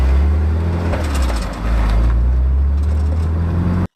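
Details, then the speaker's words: BMW Z3 roadster rear suspension recorded while driving: sharp, irregular clattering over bumps on heavy road rumble, a lingering rear-end rattle, partly fixed with new rear brake pads. "that's the rattle and I'm not really sure how to go about fixing it from here but I've got a few ideas"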